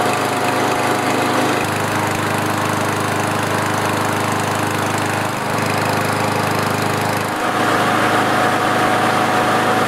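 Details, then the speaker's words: Kohler lawnmower engine after the governor adjustment: a steady, even high-speed drone with no hunting, reading 3,189 RPM, up from 2,300. The spring plate was pried up to add tension, and the engine now holds normal governed speed. "And here's my last reading. 3,189 RPMs. I'm going to leave it where it is."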